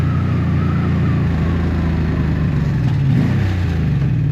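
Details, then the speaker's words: Barn-find 1984 Honda V65 Magna VF1100C on a ride, losing power: uneven, lumpy low beat with dropped pulses and wavering idle; owner thinks it runs on two cylinders, a misfire, and wonders if fuel reaches the float bowls. "yeah so if we can safely assume it's not fuel look at this I think I'm running on two cylinders"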